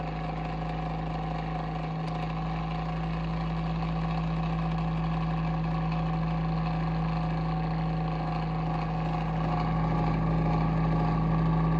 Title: Abnormal sounds from Bionaire Ceramic Heater Tower (What’s wrong?)